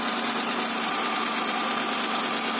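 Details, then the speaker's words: Honda Accord V6 idling after its first start following engine reinstall and rear main seal replacement. Owner says it sounds good and spots some oil leaking. Steady, even running with a smooth hiss and no knocks, misses or rattles; normal idle. "probably have to feel sufficient real pressure going to run it sounds good"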